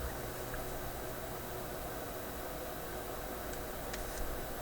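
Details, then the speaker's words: Sony ICF-2001 radio, reassembled and dead again with 3V showing: only faint steady speaker hiss, no station or tuning, no display; owner suspects the computer section isn't running. Cause unconfirmed. "oh oh yeah there is a hiss okay so that's telling me i mean there's a couple strong indications here the computer is not running in this uh radio and the strong indication is sounds like the radio is trying its best on its own but it can't do it just like it used to"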